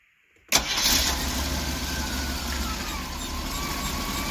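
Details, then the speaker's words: 1988 Winnebago Superchief motorhome engine, cold start with choke audible: catches right away and settles into a steady, even fast idle with no misses or knocks; later idles around 600-700 rpm, runs fantastic. "let's see what let's watch your start back up oh boy that stinks actually check this out choke you can hear the choke actually"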